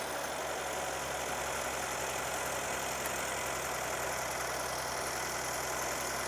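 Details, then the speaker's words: Mercedes CLS 400 M276 engine after camshaft and cam phaser replacement for a rattle, started with a weak battery on charger: steady, smooth idle hum with no top-end rattle or tapping; normal idle. "All right. So, as you can hear, the engine is running and it sounds good."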